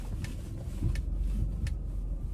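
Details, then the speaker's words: Old Lexus at idle after topping up dried-out power steering fluid to the dipstick mark (a leaking hose was noted): low quiet idle with faint ticks and no squeal; the previous squeak when turning the steering wheel is gone. "在加完油以后，它现在一点都不响了。"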